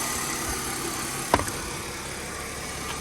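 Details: Mercedes W204 just after accessory belt tensioner replacement to cure alternator belt squeak: quiet even idle with only a brief handling knock, no squeal or chirp; belt drive normal.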